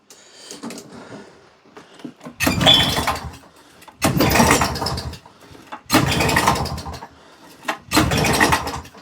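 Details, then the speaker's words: Old auction-bought mower, sparking but won't start: four rough pull-cord bursts that cough but never catch. Owner suspects a missing carb jet making it run way too rich and plans to check or replace the carb; unconfirmed. "Cuz if there's a jet missing, it's probably running way too rich, and it'll never go."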